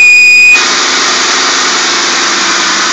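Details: 2003 Mercury Grand Marquis, 4.6 single-cam V8, single exhaust, 95k miles, cold start below 30°F: sharp steady high whine/whistle, apparently from the front of the engine near the drive belt, then a loud hissing rush; gone after 30 seconds.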